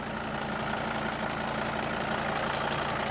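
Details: Mercedes Sprinter van with turbocharged diesel, idling after first start in two years abandoned: steady diesel idle with usual light clatter, even and unbroken, no stumble or knock beyond normal injector chatter; normal idle.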